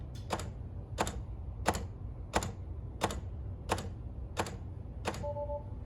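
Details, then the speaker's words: Tesla Model 3 (rebuilt salvage) charge port latch clicking steadily about every two-thirds of a second, then a short tone, cycling without locking when the mobile connector is plugged in; a new latch didn't fix it; car shows "charge port not latched" error. "the latch isn't engaging properly so what I did is I went out and bought a new latch but that didn't solve the issue"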